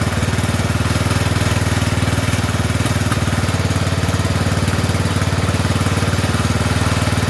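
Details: Poulan 12538 riding mower, 12.5 hp single, 38-inch deck, just fitted with a new carburetor after old one leaked gas into crankcase: even, steady putter at fast idle, no misses or surging; normal running.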